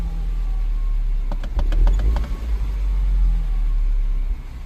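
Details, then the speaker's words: 2007 Mini Cooper S running very rough; lumpy idle stumbles and nearly cuts out when the throttle is pressed. Owner suspects a vacuum leak or PCV valve; cause unconfirmed. "It's running like an absolute pig. I just managed to make it almost cut out just by pressing the throttle."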